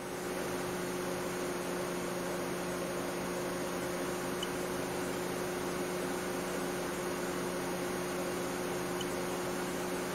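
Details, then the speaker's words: 2008 Mercedes W204 C180 Kompressor, cooling fan had run constantly and loud after start with fault code B10 7A15; refrigerant pressure sensor now reads zero with no refrigerant and no fault code: steady, even airflow hum, fan at normal moderate speed. "so i think this was uh successful because the fan is no longer running like crazy"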